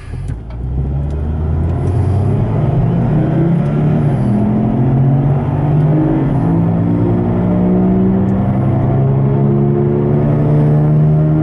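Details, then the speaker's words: 2003 Saturn Ion worn driver-side front wheel bearing: a low droning hum that wavers and swells while driving at about 80 km/h (50 mph). The bad side was identified earlier by jacking up the car and spinning each wheel; the owner first suspected the tires. "just by jacking the car up and uh spinning the wheel it'll be obvious just do that on each side and give it a spin you'll you'll be able to tell"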